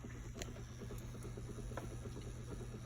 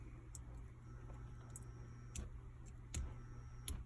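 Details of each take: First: Watts Premier Zerowaste reverse osmosis unit's booster pump runs with a quiet, steady even hum after the solenoid plunger was removed, leaving the valve stuck open; water flows, and owner suspects the solenoid housing sticks. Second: Watts Premier Zerowaste Zero Pure Plus reverse osmosis unit's solenoid valve, reinstalled and powered by its transformer, gives a steady electrical hum and buzz but no click; owner suspects a milling defect makes it stick.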